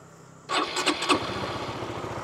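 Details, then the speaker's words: Honda Supra GTR150, K56 DOHC engine, 5 years old, 58,106 odometer, tensioner, clutch lining and TPS replaced; brief starter whir, engine catches cleanly and settles into steady even idle; normal cold start. "Okay na okay pa yung makina mga idol. Sariwang sariwa pa yung tunog niya."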